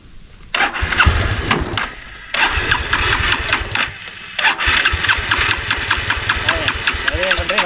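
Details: Petrol motorcycle being converted to run on gas: the self-starter whirs in short, even bursts but the engine never fires. It cranks without fuel because both the petrol and gas supplies are shut off.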